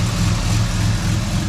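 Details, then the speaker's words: Turbocharged 3800 L67 Camaro after replacing the cracked exhaust manifold that caused loud ticking: smooth, even low rumble at idle with no ticking or puffing; normal idle. "No more freaking cracked manifolds. Oh Yay. yeah. No more ticking."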